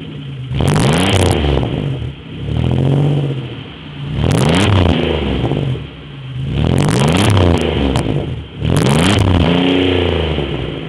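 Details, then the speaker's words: 3100 V6 Chevrolet Beretta, warm, a few days after main seal, harmonic balancer and serpentine belt replacement (coolant leak once suspected head/intake gaskets): four quick blips rise and fall cleanly from smooth idle, little ticking; sounds as it always did, normal revving. "let's give her a quick Riv she doesn't sound any different than it used to"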